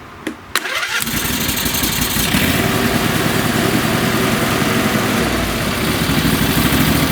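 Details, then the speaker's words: Craftsman lawn tractor with two-cylinder engine, previously popping, after putting back the missing spark plugs: a few clicks, fires at once and settles into a steady even idle with no popping or misfires; runs healthy. "happens it's all it was guys what a relief so I don't rent the engines without the covers for too long because they can't cool down properly so what a relief guys at least I know the engine will run"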